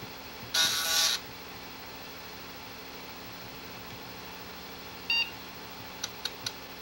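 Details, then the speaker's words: Floppy disk drive under test: a harsh high-pitched buzzing burst, then a short rasp and three quick ticks; a very noisy drive seeking, cause unclear. "je suis en train de tester les deux lecteurs de disquettes que j'ai eu et ainsi vous croyez que votre lecteur de disquettes fait du bruit écouter eu celui ci"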